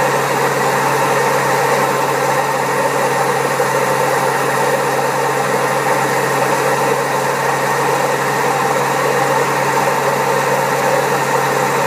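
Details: Old Servis Caress 1300 A washing machine spinning at 1300 rpm: heavy, steady rumbling roar from badly worn drum bearings; the machine also has a creaky pump.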